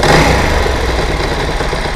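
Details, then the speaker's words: Motorcycle twin after carburettor rebuild and mixture adjustment, not yet fully warm: even idle hangs slightly high after a blip and only slowly sinks back; better than before, idle speed slow to return. "the idle speed is still falling a little slowly but but it's still much better"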